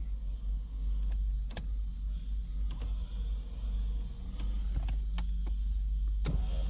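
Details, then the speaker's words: 1991 Bird with 60,000 original miles, power window: steady low motor hum as the glass travels up and down, smooth with no grinding or binding; works on both sides without problem. "Of course, power windows. Up and down, no problem. Both sides."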